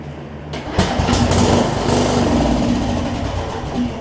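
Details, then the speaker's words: John Deere 125 rider, blown 20hp Briggs V-twin swapped for a 14.5hp single cylinder from an MTD, first start attempts: loud chugging crank briefly catches and stumbles, won't stay running; owner suspects carb not passing enough fuel past needle and seat. "I think what's happening is I think that carb is doing I don't think it's getting enough fuel passed the needle and seat in order for it to run right"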